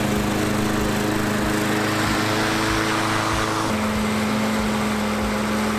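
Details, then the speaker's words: Free roadside walk-behind mower (says no oil change needed; oil was very low) after a basic tune-up and oil top-up: small engine holds a steady, even buzz with no stumbling, surging or knocking; runs well and the drive system works. "I guess I would call that a success with the free mower just did a few maintenance items really nothing too crazy here at all and seems to work the drive system works"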